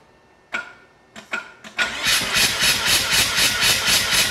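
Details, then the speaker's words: Mazda RX-7 rotary engine compression test on the rear housing, assistant cranking with the clutch held down: steady cranking at about four even pulses a second with no weak beats, all about 75 psi, consistent though possibly a little low. "all right so what we saw from that is all the pulses were consistent they were hitting 75 pounds so the engine is probably okay at least in the rear housing"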